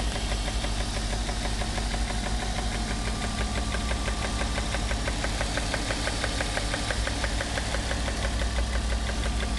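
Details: 1994 BMW 325is E36 at idle: loud, fast, even ticking about three per second with slight roughness that smooths out above idle; no engine codes; began after a long high-speed run over 135 mph; cause not found.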